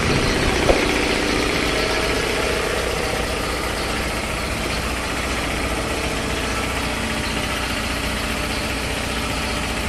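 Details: 3 HP LG-model air compressor after service (belt, filter, oil indicator and oil changed): steady, even mechanical clatter and hiss with no knocks or load changes; runs smoothly and sounds healthy.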